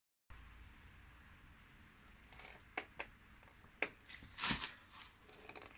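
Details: Kawasaki VN750 shaft final drive: quiet background with a few sharp metallic clicks at irregular intervals; cause was the rubber damper, fixed with a little grease where rubber and metal mate.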